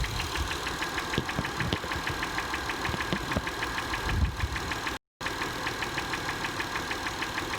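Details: 2005 Acura TL with 172,300 miles, idling: a sharp, steady engine knock about six a second riding over the running sound.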